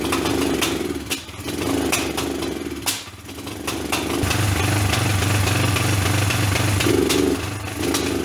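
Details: Kawasaki basket-case motorcycle first start after rebuild, side cover bolts loose: uneven surging run with the beat dropping out and returning plus sharp ticking bursts; rough running, owner believes timing is out.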